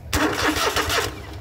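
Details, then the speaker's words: John Deere mower with the start switch fed straight from the battery by an alligator clip. The starter spins briskly and evenly and turns the engine strongly. Switch, starter and solenoid are good; the original power wire to the switch was dead. "Bingo. So the switch is good. The starter and the solenoid was good."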